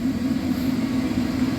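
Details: 1991 Dodge Caravan, 3.0 engine, 3-speed automatic, revived after 19+ years abandoned: loud constant roar over a steady low hum with no surging or rattles while the heater runs; running normally though rough and loud.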